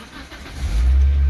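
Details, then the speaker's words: Matrix 2008 with a swapped-in K-line ECU, read by scan tool over KWP2000 on OBD2 pin 7 with no fault codes; engine catches within a second and settles into a steady, even low rumble, no knocks or misses: normal start and idle. "you can hear the vehicle running."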